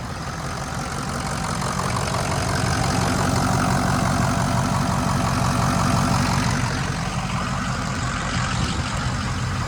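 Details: 2006 Ford F-250 6.0 diesel, after a bad IPR valve and a near-complete HPOP rebuild with new standpipes and dummy plugs: steady, even low idle with a regular beat and no misses or knocks; engine running healthy.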